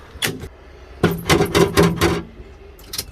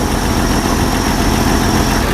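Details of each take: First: Jeep CJ 258 4.2L with a MaXpeedingRods Carter-style carburetor, after sitting a month: starter cranks steadily about four beats a second but the engine never fires; owner thinks it needs a new battery and suspects it is losing prime. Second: Jeep CJ 258 4.2L with a MaXpeedingRods Carter-style carburetor and bypass fuel filter, after sitting a month: once started it idles smoothly and evenly with the choke staying on, though hard starting persists; owner suspects fuel siphoning back to the tank.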